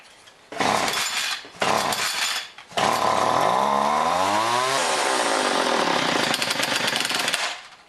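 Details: John Deere BC1600 trimmer (Zama H46 C1U carb), unused for years, cold start: sputters and cuts out twice, then catches and climbs, still ragged but improving; rough running, owner suspects carb goop working through, may need carb job.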